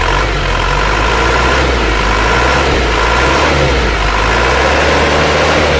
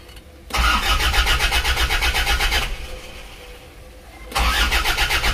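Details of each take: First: Isuzu Panther diesel after nozzle setting at 180, valve adjustment and manual injection-pump timing correction before fuel-delivery correction: revs up and settles with steady even beat, no longer dry or harsh, smoother, normal diesel running. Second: Isuzu Panther diesel, injector nozzles set to 180, injection pump timing, valves and fuel delivery being adjusted: starts and runs with a hard, rattling clatter about four times a second, harsher than normal; pump timing set too far advanced.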